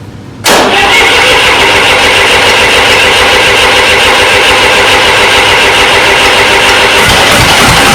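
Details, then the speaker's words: Restored 1993 Lombardini diesel generator started on an old weak battery; cranks and catches right away, then steady even run with no knocks or rattles, oil pressure light out instantly; normal idle. "as soon as chris started it up that's the oil pressure it went out instantly so we've got great oil pressure"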